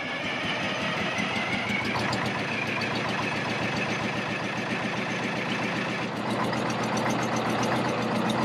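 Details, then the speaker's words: Custom MCI MC-8 coach RV, cold diesel on first start after sitting for years: idle surges and sags unevenly about twice a second instead of holding steady; worn governor components let the speed bounce, galloping. "that's what they do when they first start is they'll kind of gallop like that a little bit it's because the governor the components of the governor's wore out"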